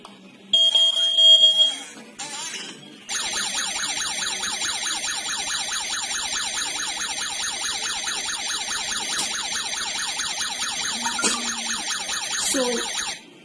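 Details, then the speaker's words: Smart home host device sounds a high, piercing warbling siren repeating steadily for about ten seconds in a quiet room, triggered by the wireless smoke detector during a test; the host also sends a mobile app notification and phone call. "In a real-life situation, when the smoke detector detects any smoke or carbon dioxide, it will send signal to the host device. The host device will initiate an alarm and it will notify you in the mobile application."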